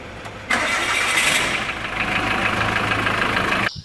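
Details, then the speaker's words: Mitsubishi Pajero Sport 4D56 diesel after bearing and oil pump replacement: short crank, then catches and settles into a smooth, even idle with no knock; healthy start after repair. "e vamos escutar a melodia do motor mitsubishi"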